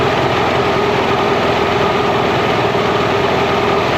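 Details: Mercury inline-6 outboard at idle near 1100 rpm during an intermittent #3-cylinder spark hunt, timing marks missing: loud, even drone with a steady hum, no stumbles or dropouts, smooth idle on all cylinders.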